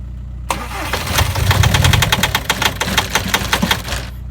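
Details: 2006 VW Jetta TDI diesel cold start at -35°: the engine catches and settles into a loud, sharp knock of two to three hard raps a second.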